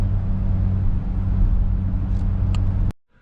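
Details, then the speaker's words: 2006 Ford Explorer Eddie Bauer driving, after front hub bearings, hubs, axles and front differential were replaced: steady low droning airplane-like roar under the cabin persisted, traced to worn rear hub bearings. "I changed basically the front hub bearings and hubs and the front axles, ended up changing the front differential, and this airplane noise just wouldn't go away."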